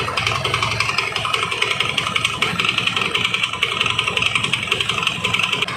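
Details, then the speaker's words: Carbureted Honda Beat scooter CVT, before disassembly: harsh, uneven metallic clatter and clunking from the drive side with belt slip. "lalu yang jadi penyebab suara CVT kasar ini atau perosotan seperti ini apa ya teman-teman"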